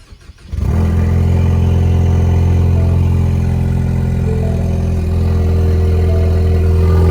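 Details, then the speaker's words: Ecoboost Mustang start-up, cranking and settling into a loud, deep idle with a raspy exhaust edge from a leaking turbo downpipe gasket. "so check it out go ahead and start her up"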